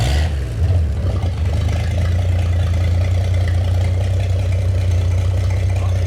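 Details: Rebuilt GMC 302 inline-six after a full rebuild: steady, even low rumble with no knocks or misses; running cleanly and smoothly.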